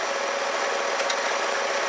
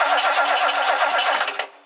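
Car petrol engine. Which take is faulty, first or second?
second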